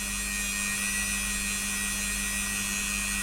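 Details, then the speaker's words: Old Dremel (about 12 years) that failed to start, now running after two capacitors and a 24 kΩ resistor were replaced; steady high whine with low hum underneath, no surging or speed hunting, runs normally. "it was the 24 kilo ohm resistor i believe it should be something else but it's working"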